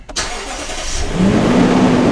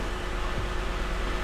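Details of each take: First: Lexus GX 460 idling after start, uneven beat from cylinder 2 misfire; misfire moved when parts were swapped, traced to a cracked spark plug seal letting oil into the plug well. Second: Lexus GX 460 idling after replacing a cracked spark plug seal that let oil into the cylinder 2 plug well and caused a misfire; steady, even low hum with no stumble, miss or knock, and no check engine light after 5 minutes.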